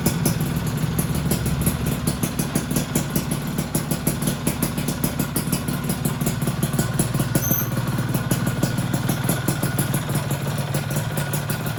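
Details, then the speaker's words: Freshly rebuilt two-stroke engine on first run, fairly cool: a sharp, even tick keeps time with the idle, disappears when revved, and is expected to fade once the piston heats and expands. "Nah sekarang ini agak sedikit adem teman-teman, kritiknya ya kalau panas. Ya mudah-mudahan nanti bunyinya hilang ketika pistonnya udah ngembang."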